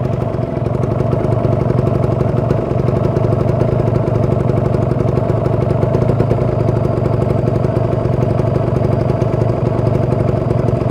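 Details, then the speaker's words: Kawasaki Ninja 150 RR two-stroke warming up at about 1000 rpm, rarely used, stock exhaust, heard from the engine side: steady crackling even idle with no knocking or rattles; engine sounds cool and healthy, oil circulation good. "suaranya masih Oh ya terdengar jelas suaranya masih adem sirkulasi oli lancar oli samping oli mesin"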